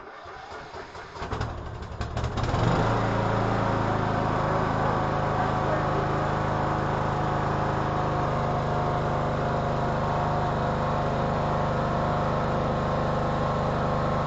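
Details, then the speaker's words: 2014 Troy-Bilt Bronco 13WX78KS011 mower, Kohler 17 HP, starting after a new HiPA carburetor fixed the no-start caused by a faulty fuel shut-off solenoid. A couple of seconds of cranking, then it catches cleanly and settles into a steady, even idle: repair successful. "That's great. That new HiPA carburetor saved this Troy-Bilt Bronco. Amazing."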